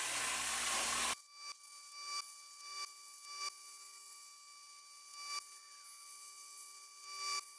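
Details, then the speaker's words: Cut50L plasma cutter on a CNC table: loud hissing arc then steady hum broken by irregular crackling sputters on and off through the cut, arc flashing blue; electrode problem confirmed after removing shield cap; intermittent plasma arc sputtering. "if you listen closely you can hear some sputtering this occurred on and off for the rest of the cut what this means is there is most likely something wrong with the electrodes"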